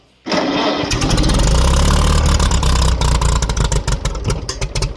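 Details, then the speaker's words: Farmall H tractor during a cold start, cranked with no choke. The starter cranks steadily with a rhythmic chug that slows and breaks up. The engine turns over but does not catch. "That was with no choke. We'll give it just a touch of choke. A little more."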